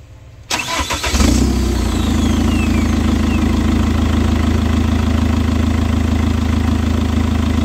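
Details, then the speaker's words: Chevrolet Captiva diesel with exhaust pipe removed, engine and exhaust smoking from leftover cleaning solution; after a fuel-pressure fault (DTC P089, engine light, rpm capped at 2000): brief crank, clean catch, steady diesel idle with loud open-pipe clatter, expected to smooth out after 5-10 minutes; normal start and idle. "biarkan dulu nyala 5 atau 10 menit nanti semakin lama mesinnya akan terdengar semakin rata dan semakin halus"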